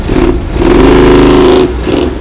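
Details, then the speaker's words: 1970 Dodge Challenger V8, off the road 15 years, running again after repairs: strong rev rising to a held roar for about a second then dropping back, even and clean; engine healthy. "Yeah, it's running! That's how a muscle car should sound."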